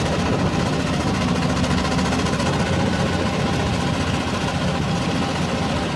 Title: R480LC Injector problem and misfiring #misfire #nozzle #injector